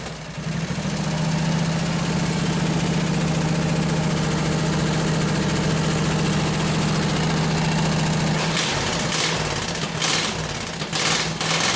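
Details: Hot rod go-cart, small single-cylinder engine with exhaust pipe ending just in front of the rear end, no muffler yet fitted: fast, raw, blatting idle with strong low drone, then cuts out; very loud open exhaust.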